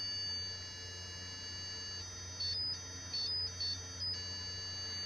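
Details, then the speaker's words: Early Bally solid-state pinball sound board being diagnosed with a logic probe on U5 pin 12, after the EOM and first TTL chips tested good; a steady high, thin tone with chirping bursts on top: normal pulsing signal. "yeah you can hear it singing at sunk so this one I'm assuming is good"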